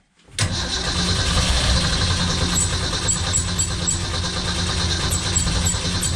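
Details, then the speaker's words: 1965 Ford Econoline van stored since 2011: engine cranks at a steady roughly three beats a second but never catches once the carb float bowl runs dry; no fuel coming up from the tank. "yeah okay so that was just the float Bowl so we were correct and assuming that nothing was coming up from the tank which is a bummer"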